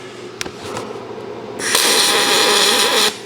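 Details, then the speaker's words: ArcCaptain MIG 205MP welding aluminum with a spool gun, after retuning from a too-crackly setting and attaching a ground: a few ticks, then steady even hissing hum with no crackle or popping; normal spray transfer arc. "I don't know if you can hear that but it's just more of a hum it's not really crackling"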